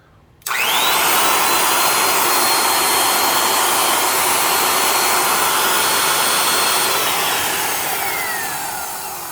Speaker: Hear that noise right when it slows down. That's the sound of the end of the motor wobbling around and rattling in that sleeve bearing. That's why I'm not a big fan of sleeve bearings.